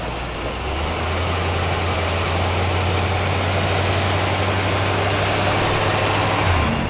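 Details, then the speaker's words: Newly delivered car, still very cold after sitting outside a couple of days: high idle revving up with a steady drone and a slightly uneven beat. The owners think it sounds like it's missing and plan to let it warm up. "Was it revving up right there? Yeah, a little bit. It's still cold as hell."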